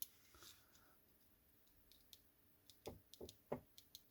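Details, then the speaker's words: Nintendo Switch Joy-Con with previously unresponsive L button, after installing replacement L button and spring: a few crisp, light, consistent clicks; the shoulder button actuates cleanly without rubbing, already much better. "that is already so much better"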